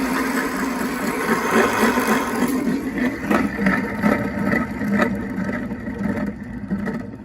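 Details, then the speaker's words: Renault Zoe EV traction motor, 71,000 covered, removed and hand-spun: rough gritty rumble with scratchy clicks on coast-down, both motor bearings noisy before rebuild. "well I that it's pretty terrible isn't it I think that's actually both bearings that are making a noise"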